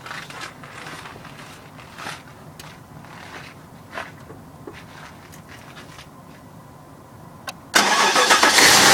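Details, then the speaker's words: Cold start of a 4.6 liter (289 cubic inch) V8 with rear air shocks at about 9°F, 6:30 a.m.: after a quiet stretch it fires abruptly and settles into a loud, even cold idle; normal, healthy cold start. "It's going to be a cold start. It's about 9 degrees Fahrenheit out right now."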